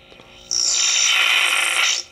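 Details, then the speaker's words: 1960s Hi Tone Japanese tube radio, powered up after fixing a faulty power cord: sudden shrill, steady high squeal about a second and a half when volume is turned up; feedback, owner suspects leaking old capacitors. "of sounds like a squealing probably some of these capacitors leaking so I'm going to try to get some of these capacitors changed and see if that helps anything"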